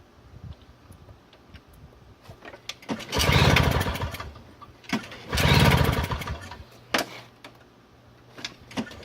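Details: Free Toro CCR 2000 snowblower, probably 1990s, 2-stroke 4.5 hp Suzuki with Mikuni carb, 50:1 mix, primed with choke out: two short cranking bursts catch briefly and die; smoke shows spark, fuel vent valve suspected; cranks but won't start.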